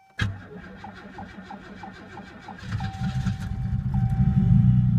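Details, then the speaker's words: 1988 Oldsmobile Cutlass Ciera cold start at minus 22 after long sitting, fuel system primed first: starter cranks briefly, catches near third second and settles to a steady even idle, with a little exhaust smoke; healthy cold start. "wow that actually started a lot quicker and faster than what I had first anticipated I honestly thought it was going to give me some grief here"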